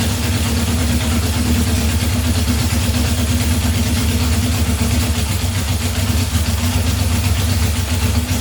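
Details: 1978 Honda CB750 K8 first run during a rebuild, with booster on the battery and temporary fuel supply: loud, steady four-cylinder idle with an even, unbroken beat and no skipping. All cylinders are firing normally.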